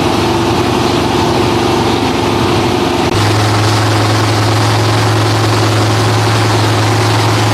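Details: Freshly rebuilt Holden 308 V8 mounted on a partial chassis, running after its first start following the rebuild: deep, steady idle with an even lope and a low drone that settles after a moment. Normal idle.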